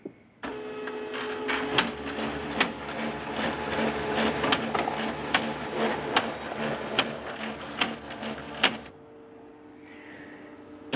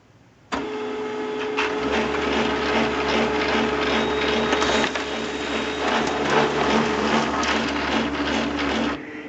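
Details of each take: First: HP LaserJet 2400-series printer running with loud, sharp clunks through its hum; owner believes worn fuser assembly drive gears are the cause and replaces the three main gears. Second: HP LaserJet 2400-series printer runs a print job with a steady motor hum and soft paper-feed rhythm, no clunking, after replacing the three main fuser drive gears; normal printing.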